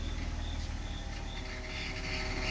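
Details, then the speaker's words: E46 BMW 330ci at quiet idle gives a thin squeaky chirp that sharpens into a steadier squeal, louder each time the wheel is turned; a power steering squeal, with the belt to be checked next and the pump suspected but not confirmed. "Yeah, so it's the power steering. Every time he turns the wheel, the squeaking gets louder."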